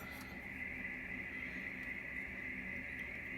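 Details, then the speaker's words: Drake R4B receiver, passband tuning knob rotated fully left and right to compare pitch: steady high tone near two kilohertz through hiss on right, nearly nothing on left; knob fastened 180 degrees wrong on its shaft. "and the left can't hear it really at all so that doesn't work too well so can we change this to make it work better i can't get a sound at this side at all not a thing"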